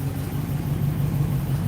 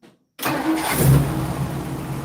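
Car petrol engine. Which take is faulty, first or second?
second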